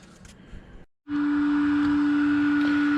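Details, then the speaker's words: iCharger X8 charger after cooling-fan replacement with a high-rpm, high-airflow 30x30x10mm fan: loud, steady high-pitched fan drone holding one even pitch, much louder than the original; fan running normally. "sorry for the noise but as you can hear it is a lot louder of a fan uh that is due because of the such such a high rpm that it's rated for as well as the airflow"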